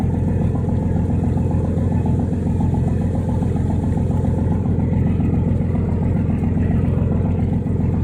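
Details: Old steel yacht's twin diesel engines, previously overheating, about to set off: deep steady throb, even beat around two per second, gruff and loud but smooth and regular; exhausts pumping plenty of water, running fine.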